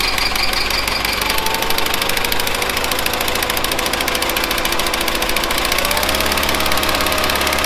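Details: 1970s Bolens QT16 garden tractor, long unused with old gas and gravity-fed fuel to the carburetor: ragged, hunting run with loose uneven beats and a pitch shift near the end, about half choked; rough running, carb needs cleaning.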